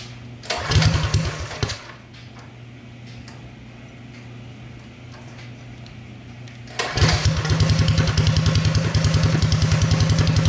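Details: Predator 212 single-cylinder with Mikuni carb and torque converter, first start after upgrades: pulls over, catches and settles into even, steady beat with no misses; runs healthy.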